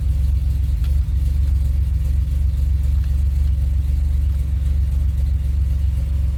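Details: 2007 Pontiac Grand Prix GT start test after a fuse box swap, which the owner hopes cured its crank-no-start. Engine catches and settles into an even, deep rumble with a small rev, no misses or knocks; running normally.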